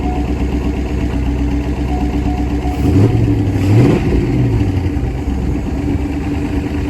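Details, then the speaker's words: Corvette C5 V8, crash-damaged former non-runner that has not run for a while, cold start; lumpy idle with a slight miss at first and one rev blip, then it smooths itself out. "had a little bit of a miss when when I first started it but it seems like it's smoothed itself"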